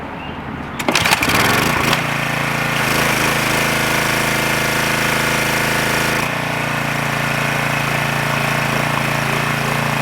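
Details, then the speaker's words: Craftsman 2500 PSI pressure washer, Briggs & Stratton 6.75 (model 168212) in for a no-start, on choke: catches and holds a steady, even buzz with no surging or sputter; running normally. "It even runs on choke good too."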